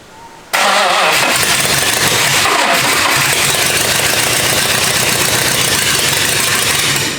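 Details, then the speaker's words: 1954 International farm truck freshly fitted with a 400 big-block V8, first start: cranks briefly, catches and roars loud, coarse and tractor-like, holding steady; runs but sounds rougher than expected, cause unclear. "Oh, that is loud. It sounds like a tractor. It does sound like a tractor. It definitely didn't sound as good as I thought it was going to sound."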